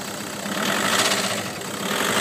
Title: Golf GTI engine knocking noise